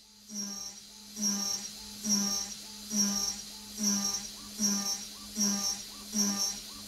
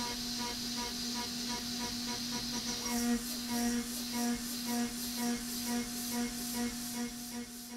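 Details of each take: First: AvidCNC Benchtop Pro 2x3 gantry router with a CNCDepot S30C spindle at about 12,000 rpm, cutting steel at 10% stepover. A shrill shriek and sagging spindle hum about every 0.8 s show the spindle bogging; the cut is judged too heavy for the machine. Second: AvidCNC Benchtop Pro 2x3 router with S30C spindle cutting steel at 900 surface footage and 5% stepover: steady spindle tone, even hissing cut, soft pulses about twice a second, no bogging or shriek; a good-enough recipe.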